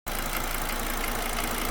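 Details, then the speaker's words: Volvo V70 II 2.4T idling: light fast ticking over the steady run, seemingly near the V-belt; V-belt, pulley, timing belt, pulley and tensioner already replaced; owner suspects wrong V-belt length. "Hope you can hear that ticking noise. It's coming from somewhere up here. I mean, to me it comes from somewhere around the V-belt."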